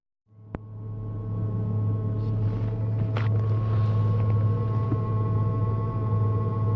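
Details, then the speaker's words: Ford ED Falcon turbo build at idle: a steady, slightly uneven low rumble with a rapid faint puffing tick from a leaking exhaust manifold. "p I got to say even with uh like a leaking exhaust manifold it's actually quite bad now it sounds like [ __ ] but um yeah even with the leaking exhaust manifold"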